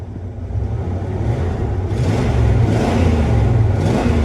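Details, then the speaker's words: 1996 Ford V8 truck with 300,000 miles, after plugging back in a jumper connector: a deep rumble climbs evenly as the throttle opens, with no misses or stumbles. This is smooth revving, running smoother than before. "I mean, it went up and then it idled down, so seems like it's running smoother. I also want to say it picked up a cylinder or two."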